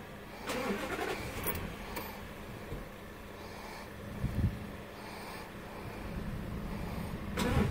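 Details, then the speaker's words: 2012 Dodge Ram with the small V8: starter cranks on and off through several attempts with uneven surges but the engine never catches cleanly; owner suspects a sensor and plans to fit a replacement (EC7030), fix unconfirmed. "so this is my heart starting problem with my my 2012 Dodge Ram the I have the small v8"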